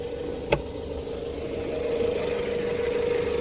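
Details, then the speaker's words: 2019 Jeep Compass Trailhawk petrol engine, hood open: steady idle with even hum, no knocking or ticking, one brief click early on; sounds normal. "super clean under here no knocking no ticking sounds good"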